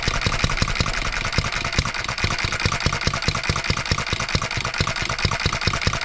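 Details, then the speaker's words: 1988 small engine, long unrun, after truing the crankshaft to about .0015 in runout and roughly setting valve timing: thumps slightly unevenly with one misfire; fuel system debris suspected, governor spring speed adjustment next. "at least we got to hear it Miss one time I think we're going to be doing some speed adjustment now here with this governor spring"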